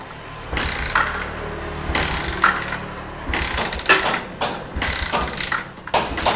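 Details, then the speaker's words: Yamaha Jupiter MX New motorcycle with intermittent spark, being kick-started: uneven bursts of kicking and clatter at about forty per minute never catch, and it dies when revved; hard starting attributed to a weak CDI. "Oke. Dihidupkan susah teman-teman ya. Udah sampai capek kaki ngengkolnya ya. Di sini dihidupkan susah."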